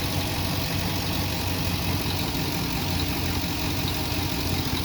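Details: 2008 Cadillac Escalade V8 running after the starter relay was jumped at pins 85 and 86 to bypass a missing BCM ground: steady, even idle with a low smooth rumble and no misses or knocking.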